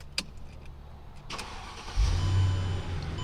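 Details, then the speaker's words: Mercedes E55 after new oil pump gears fitted, startup heard from inside the cabin: a couple of light clicks, catches in about two seconds and settles into a smooth, low, even, very quiet rumble; healthy start. "it is so quiet now it's like different than any other e55"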